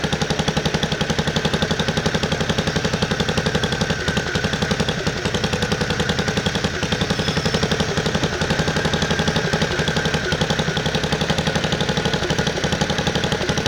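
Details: 1969 Bolens 850 tractor, Wisconsin S8D 8.25 HP single-cylinder, after setting points and initial carb adjustment, revved high: hard fast steady rattling knock around four a second; engine knock at high rpm, cause unidentified.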